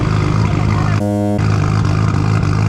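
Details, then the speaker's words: Right-hand-drive Mk3 Toyota Supra, 1JZ, sat 2 years, smoking and burning oil, best case just a turbo, worst case engine damage: low lumpy uneven idle; runs poorly, cause not yet confirmed. "Not a good thing. It doesn't run very well, and the car is sat for 2 years."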